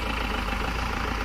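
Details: Mahindra Xylo diesel with a no-start and vibration fault: it ticks over at an even, steady idle with no lumpy beat or shake; it has settled on its own and runs smoothly.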